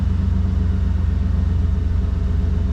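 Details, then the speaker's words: 1992 Chevy C1500 V8 after correcting distributor cap/number-one cylinder alignment and timing: deep, even low rumble idling around 700 rpm with no misses, now firing on all eight; smooth, healthy idle. "here's a upgraded timing so you can see the gauge but listen to that she's just purring"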